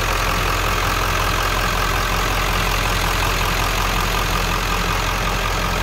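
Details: 1997 Ford F350 XLT crew cab 4x4 with 7.3L Power Stroke diesel, heard in the open engine bay: steady, even diesel idle clatter under a heavy constant rush, no misses or knocks; healthy idle.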